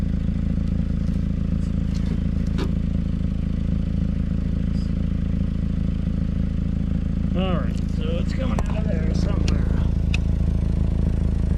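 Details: 2011 Mazda 3 petrol engine idling with a deep steady rumble and faint puffing pulse from a recently started, well-hidden exhaust leak.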